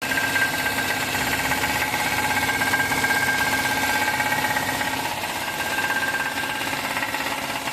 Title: knocking noise engine !! #knockingnoise #shorts